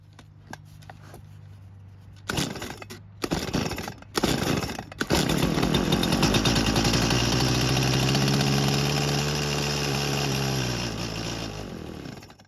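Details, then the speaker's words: Stihl chainsaw left years in a barn, fresh stabilized ethanol-free fuel: with carb primed it catches after a few pulls and runs several seconds then dies; without priming only tries to start. Carburetor suspected. "So it started and ran, but that's with priming it. Now let's try doing it the way you're supposed to do and see what happens. Well, the good news is that it did try and start, but it won't do much more than that."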